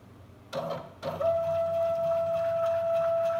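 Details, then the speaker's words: Small CNC router stepper motor, Arduino with CNC shield, X axis jogging after speed parameters changed from 1500 to 1000: knocks, then loud steady mid-pitched tone with metallic buzz; motor vibrates much more, resonating at this speed setting. "mas se acontece com essa velocidade com esse parâmetro de velocidade o motor ele gira e ele vibra muito mais então por isso que tá muito mais alto e esse barulho de vibração metálico"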